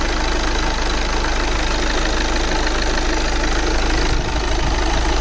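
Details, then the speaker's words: 2009 VW Tiguan 2.0 TDI diesel restarted after clearing fault codes: steady idle with even low rumble and only normal diesel clatter, no misfire beat; running fine, exhaust better, cause of earlier misfire unknown. "he looks stable to me he's still shaking a bit but of course this is diesel but it's not that you remember before"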